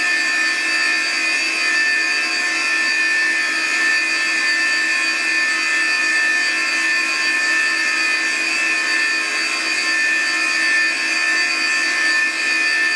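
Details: Classic Digital (DEC) hard drive in a special holder that the owner suspects has an issue: steady high whine with several pitched tones over a constant hiss, no knocks or clicks; the drive spins with an unusual whine.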